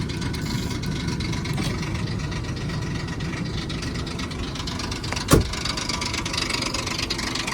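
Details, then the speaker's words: 2002 Ford Explorer Sport Trac, 4.0-litre, two-wheel drive, about 200,000 miles, warm idle: busy clattery metallic chatter on the steady engine note, quieter with a little gas; timing chain rattle, common on these 4.0 engines. "But you hear it? You hear that? Give it a little gas, it gets a little quieter. And like I said, this is very common on these this is very common on these 4-liter engines."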